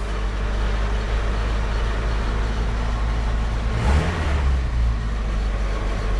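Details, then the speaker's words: 1987 Chevette converted to a manual transmission, clutch with about an inch of pedal play taking up in first gear: steady engine drone with a brief smooth load change and no chatter, grind or slip; positive, normal engagement. "has about an inch of play in the pedal and my goodness does that feel nice positive engagement oh yes"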